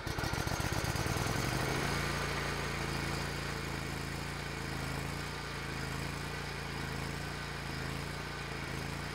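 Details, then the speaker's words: Hustler Raptor SD zero-turn mower, on jack stands after seat switch fix and battery recharge, had been dying when moving or engaging the deck; cranks, catches in under two seconds and settles to an even, steady idle with no knocks or misses. "yeah okay I got bit a little bit of hubris but that's okay mower is working again"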